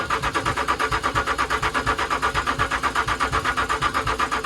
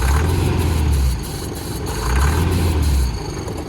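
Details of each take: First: Cheap Range Rover diesel after fuel system bleeding and pressure checks: the starter cranks steadily under three compressions a second but never catches, then stops; still will not run, fuel starvation suspected. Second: Range Rover diesel engine, previously would not start, now fires and settles into a low, quiet, healthy run with a couple of gentle surges, no knocking; confirmed diesel fuel starvation was the earlier problem, owner suspects fuel volume control valve.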